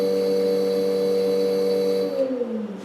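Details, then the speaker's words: Washing-machine 12-pole motor run on an 8-pole controller setting with too-low frequency: a steady droning hum with a rough buzz, pitch sagging as it winds down. Out of phase, it vibrates the table. "That's out of phase. It's grounding right now. It's creating a vibration on the table because it's so out of phase, because it's on 8 pole instead of 12, and the frequency is too low."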